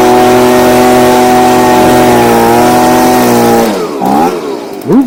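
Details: Stihl BG55 two-stroke leaf blower, formerly no-start, on new C1Q-S68G carburetor replacing a torn-diaphragm carb, during carb adjustment for more power: high steady buzz holds at speed, then drops and blips cleanly on throttle; strong and responsive.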